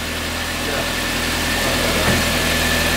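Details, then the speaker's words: VW Passat B5 restarted, air in the fuel system bled out: steady, even idle with a smooth unbroken hum, no knocks or misses; normal idle. "Jetzt läuft er. Der läuft richtig gut. Guck mal, wie der läuft, Digga."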